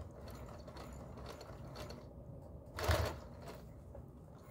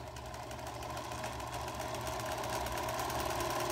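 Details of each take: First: Singer 431G with internal motor converted to low voltage, sewing through six to eight layers of denim over seams; quiet, even mechanical chatter with one brief thump, no labouring; normal sewing under load. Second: Singer 431G sewing machine with internal motor converted to low voltage, sewing denim with hopping foot: fast chatter about four beats a second over a rougher buzzing hum, because the motor shaft is slightly out of balance.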